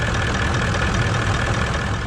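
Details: Toyota 79 Series Landcruiser 1VD diesel V8, ~270,000 km, idling after cooldown from 40°C+ heat: low gravelly rumble under the diesel clatter; pulley not moving under lever now, but confirmed worn water pump bearing.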